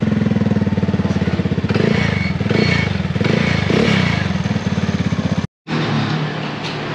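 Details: Motorcycle with a heavily used ETech Power Pipe version 3 aftermarket exhaust. Loud, raw, rapid popping with a harsh blat through the revs, because the internal screen is broken; the fiber mat is still white.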